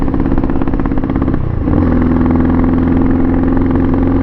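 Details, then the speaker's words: Pitster Pro XTR250 on its first ride at about 42 mph; fuel switched up: the single-cylinder pulls, then sags and stumbles before catching again. Bogging badly; owner suspects carb or old fuel, possibly the choke left on. "it makes a little bit more power but yeah it's bogging like crazy so let me look at this"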